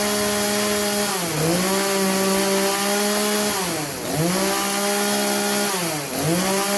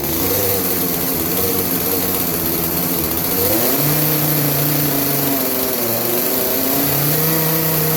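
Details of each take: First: Craftsman chainsaw, after the carburetor high-speed jet was turned about three-quarters clockwise: it holds a steady high buzz, dips briefly into wood and recovers cleanly. Normal high-speed running after the fix for bogging under load. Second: Craftsman 18-inch 40cc chainsaw that bogs under load, revved while the high-speed jet is adjusted about three-quarters turn clockwise; strained flat top revs, then pitch climbs and steadies; lean high-speed mixture.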